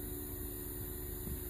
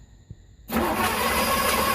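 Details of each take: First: 1981 Trans Am 4.9L 301 Turbo with a newly installed FiTech EFI, key-on with the engine off before the first start attempt; steady, even low hum of the electric fuel pump priming. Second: 1981 Trans Am 4.9 L 301 Turbo with newly installed FiTech EFI, first start attempt after fuel pump priming: steady fast cranking, never fires; crank no-start, no RPM signal.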